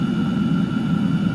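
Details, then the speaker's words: Chinese diesel heater at full output with the fan set all the way up, outlet settling around 160 degrees and over 300 on the metal part: an even, steady low roar with a constant fan hum and no surging or popping. It is burning cleanly. "So it's really bumping out some heat now. This thing's off the charts, 250, 200, let's see, let's let it get settled."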